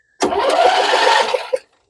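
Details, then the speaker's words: MTD Yard Machines 21hp lawn tractor, Briggs & Stratton V-twin said to have a blown engine, PTO switch held: quick, even cranking over a second, no firing and no knock, spark plug boot jumping; crank no start from weak spark. "I see that spark plug boot jumping so that means and I don't hear big knocking and I don't see oil pouring out so what's wrong with this engine"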